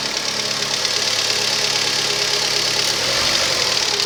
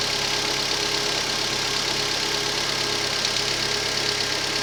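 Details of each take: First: Rover 25 1.4 petrol, cold start: steady normal idle with light, fast metallic ticking from the hydraulic tappets, normal at this temperature; a faulty lambda (O2) sensor was later found causing a slight misfire. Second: Rover 25 1.4 petrol idling steadily with faint, occasional stumbles; slight idle misfire traced to a faulty lambda (O2) sensor, fixed by fitting a used replacement sensor.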